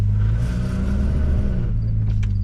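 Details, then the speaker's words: Audi S4 creeping in reverse over a low drone, with a faint steady whine riding above, present mainly in reverse. The owner suspects the gearbox input shaft rather than the clutch. "I'm gonna pull the car into the driveway so you guys can hear why the car is going back on jack stands. It's like a weird whiny noise. It started in reverse. It mainly does in reverse."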